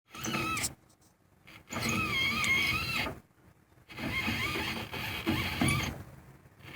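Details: 1985 Jeep with AMC 20 rear axle, bearings about two years old: harsh grinding with a wavering high squeal in three bursts; the bearings on both sides were found trashed.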